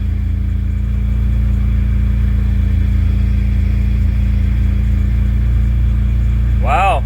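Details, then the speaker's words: Car running after replacing a failed fuel pump that caused stalling: steady, even engine note with a smooth constant hum and no stumbles or knocks; easy fix, engine healthy. "yeah that was that was easy fix that's what it was it was my fuel pump fuel pump went out"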